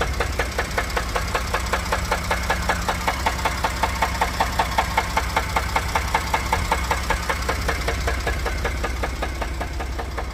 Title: Rod knock or broken flex plate? 1 of 2